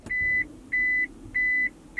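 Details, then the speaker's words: Push-button start automatic car refuses to start after a learner driver's parking practice; four high steady beeps repeat about every 0.6 seconds with no cranking. Cause unknown: driver had foot on brake. "what's that baby noise that's not good oh do it again press Start can't you hear the button going stops do it again"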